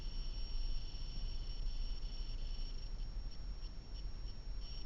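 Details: BlackVue DR750X-2CH LTE Plus dashcam: a steady, thin high-pitched electronic whine at one pitch over a low background rumble.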